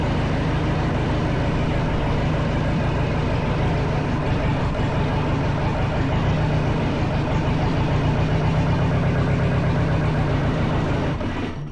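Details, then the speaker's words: Kubota V2203 diesel from a truck reefer unit, being prepared for a 1959 Willys CJ5 swap: rough, loping idle with uneven thump, shaking, then shuts off; owner suspects a loose fitting sucking air into an injector hard line, causing a misfire. "I think it's sucking some air in there and getting into there and creating an air pocket which is creating my misfire."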